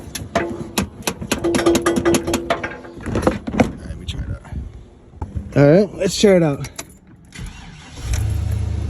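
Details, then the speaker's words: 1999–2006 Chevy Silverado with intermittent no-crank, no clicks; the starter is tapped from the passenger side. Sharp metal taps, then a brief starter whir as it cranks and the engine catches; the starter is failing and gets replaced. "so I'm just gonna give the starter a little tap so if I hit it if I tap it and it works then it's starter going bad"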